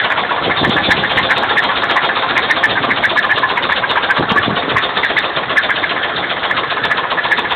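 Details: 2000 GM cube van, 5.7-liter V8, 121k miles, head gaskets just done: light, fairly even tapping at idle; owner suspects rod knock or valve train, not confirmed.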